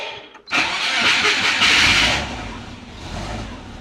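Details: Subaru with DIY turbo exhaust manifold, after cleaning fouled plugs and re-enabling injectors: quick crank and catch, brief loud rise, then steady low idle with some vibration; no massive exhaust leak heard, needs a little tuning.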